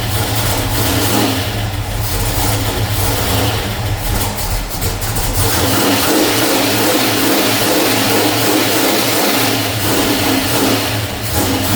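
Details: 1989 Ford Mustang with a 351 Windsor V8, first start after time on an engine stand: V8 catches and revs, then settles to a lumpy, wavering idle; rough running, owner suspects oil burning off after oil leaked from the intake manifold top.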